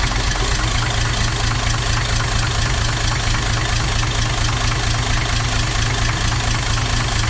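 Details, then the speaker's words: Toyota 2H turbo diesel in a Jeep at idle, lumpy uneven beat about twice a second; cracking the injector lines changed the back five cylinders but not number one, so the fault is in number one cylinder, cause not confirmed. "all right so whatever has gone wrong is in number one cylinder so I went through and cracked all the injector lines and you can hear the difference on the back five but there was no change to the way ran on that front cylinder"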